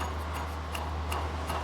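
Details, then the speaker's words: Volkswagen Golf 1.4 petrol, old water pump spun by hand during a timing belt change: gritty tick about three times a second over distant traffic, rough with some shaft play; worn bearing, pump being replaced. "now when I spin this water pump let the traffic go past you can hear the roughness in this and there's a bit of play"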